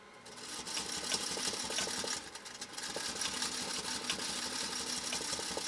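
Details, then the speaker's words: Restored 1956 Singer Featherweight 221-1 that arrived with a troubled motor and tattered belt, now serviced and sewing two layers of acrylic fiber. Quick needle clatter near three stitches a second, audibly strained and uneven through the thick fabric, but running fine. "You hear the machine working to try to get through this stuff? Can you hear it working? I mean, it sounds different than when we were doing the other sew-offs, even the leather sew-offs."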